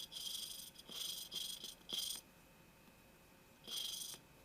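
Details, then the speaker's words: Mitsubishi Eclipse (2G build) valve job: valve dipped in assembly lube, lapped with coarse grinding compound; short gritty scratching bursts as valve twists on seat, grinding not yet gone quiet, so valve isn't mated yet and needs more lapping. "and only pay attention into the sound you can hear the grinding when I get it right"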